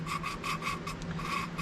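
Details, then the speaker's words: 1968 Fiat 850 Spider cylinder head rebuild to fix head leaking, hand-lapping a valve with compound: rhythmic gritty rasping about four strokes a second, seat still rough. "And as you rub, it'll eventually start to get quieter and quieter because it's starting to smooth out. You can see it's already so much quieter."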